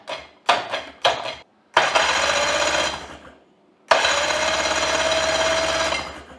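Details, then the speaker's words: 1985 Johnson 20hp outboard, electric starter reinstalled after being freed from locked-up state, tested on battery: short bursts then two strong sustained whirs with steady whine, spinning freely, no grinding; starter works. "I think we got a starter that'll work."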